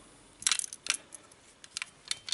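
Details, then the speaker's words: GSG MP 40 9mm PAK blank-firing gun after a 500-round stress test, handled: sharp irregular metallic clacks from something loose inside near front of barrel, sights also loose; cause unknown. "Erstmal ist jetzt hier die Visierung etwas locker. Und innen drin hat sich irgendwas gelöst. Man hört da so ein Klackern."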